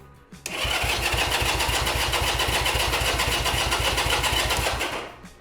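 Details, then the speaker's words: 1975 Honda CB200T jump-started and cranked with ignition off and no fuel to circulate oil; fast, even chuffing about four per second with every stroke equally strong shows healthy cranking compression. "I do hear a lot of compression uh on the exhaust, so I think that that's that's a good sign."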